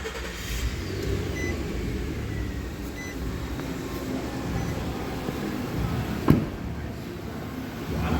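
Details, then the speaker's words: Nissan Pathfinder 4.0L VQ40DE V6, warming up after the oil filter was replaced and oil topped up to cure a buzzing/whining noise: smooth, even idle with no buzz or whine. Normal idle; revving still to be checked. "doesn't sound like the noise is there anymore at idle so we're going to see if the noise comes back after revving"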